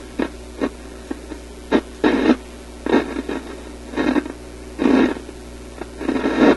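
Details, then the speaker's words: European tube radio after two new filter capacitors were installed, on shortwave with an outdoor antenna: irregular bursts of harsh crackle over a faint hum, the same on AM; a shorting capacitor is suspected. "Sounds like a shorting capacitor, doesn't it?"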